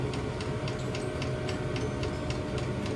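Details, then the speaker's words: New diesel heater in VW T25 Westfalia warming up on setting H3, exhaust not yet finished; steady low combustion roar with soft regular fuel pump ticking, pumping out heat, running as it should. "As you can hear the reds coming down now. So that sounds correct to me. I mean that really is pumping out."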